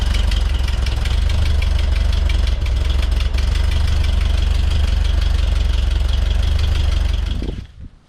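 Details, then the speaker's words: 1967 VW Bus (Transporter) air-cooled flat-four, just fitted with a supercharger kit, sheet metal off: idle with rapid raspy puffing tick from a small, easily reached exhaust leak, then shut off. "it runs uh as you can hear I've got a little exhaust leak I might try and attack that it's right here so easy to get to while uh while I've got the sheet metal off"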